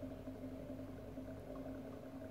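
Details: 40 kW induction motor driven by a small 4 kW inverter. After losing sync, the voltage was raised until the motor picked up again, and it now runs stable at speed with a steady, firm, even low hum and no wavering or growl.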